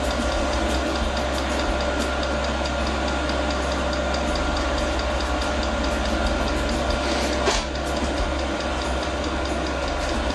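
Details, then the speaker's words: Newly mounted portable all-in-one diesel air heater, first start at maximum power: regular light fuel pump ticking over a steady fan whir, with no burner roar. The first ignition does not take; the glow plug relights and the heater goes through a shutdown cycle. "Ok, prima accensione non è andata a buon fine."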